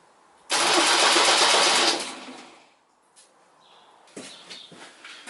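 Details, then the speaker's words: 1972 MGB GT restoration, on connecting the battery after rewiring: starter whirs loud and fast about 1.5 seconds without firing, then stops, because starter and starter relay were wired to the same connection. "Basically I put the starter and starter relay on the same connection. So when I plugged the battery in, it went So let's see what happened."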